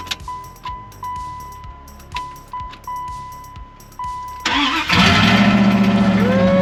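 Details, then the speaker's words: 1995 Dodge Ram 1500 5.2 with new battery and fuel lines: repeated key-on priming chimes, then it cranks and barely catches. Rail fuel pressure read zero; the cause was broken or corroded ground wires near the fuel pump. "so i was thinking i might as well test the fuel pressure at the rail again since i still have the gauge and it did read zero"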